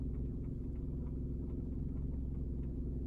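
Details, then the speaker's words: Car idling in gear on the brake, A/C off, heard inside the cabin: low droning throb pulsing about three times a second, briefly quieting in Park then building again; source unclear, not from the dash area. "でもだんだんまた震度が大きくなってくるんですねまた聞こえてきましたよね"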